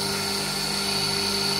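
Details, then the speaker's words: Three-phase motor on a 240V single-phase supply with one capacitor removed (it was getting warm), leaving three: it starts very slowly and struggles, then holds a constant, steady hum and whine once running; three capacitors are enough to keep it going. "what happens what happens is if i turn it on it's very slow struggle to get started [Music] but then it will get going eventually so i know that three is enough to keep it running"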